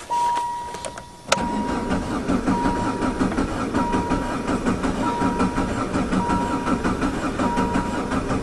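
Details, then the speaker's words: Diesel conversion caravan with Jetta engine, sitting since last fall, cranked after 10–15 s glow plugs with clutch depressed; injector pump corroding: slow rhythmic compression pulses, never catches; fuel had drained away, air in the pump. "And here we go. Almost. It's just sucking that fuel that's ran away."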